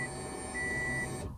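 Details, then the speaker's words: 2006 Subaru WRX, fuel pump cycled with key on after fuel-issue repair: short steady electric hum with faint high whine cutting off after about a second, fuel heard returning to tank; normal fuel pump priming. "So here's how a fuel pump should sound when you turn it on. And you'll hear it return back to the tank."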